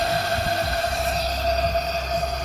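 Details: 2009 Toyota Matrix 1.8 running rough and hard to start after a dealer timing-chain tensioner job; leak-down test with valves closed: steady hiss with a thin whistle as air escapes into the next cylinder through a failed head gasket.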